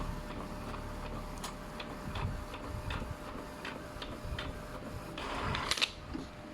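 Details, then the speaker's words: Epson L220 inkjet making a colour copy after its print head was removed, cleaned and reinstalled; steady light regular ticks and soft carriage shuffles, no grinding or clatter; the machine works normally. "เนื้อหานี้เครื่องก็ใช้งานได้ปกตินะครับผมเป็น"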